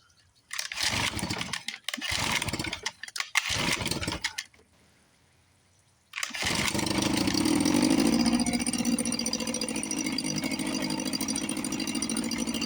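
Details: 1954 Johnson 5.5 HP two-stroke outboard, unused for about 60 years, magneto reinstalled, carburetor rebuilt, heavy oil mix: a few pull-start tries, then a steady, even buzz. Normal running.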